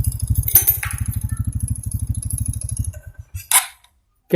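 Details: 2014 Honda Supra X 125 fuel-injected motorcycle, previously with idle rising and falling, retested after the repair: even single-cylinder putter at a steady beat without hunting, then shut off. Idle is stable and back to normal.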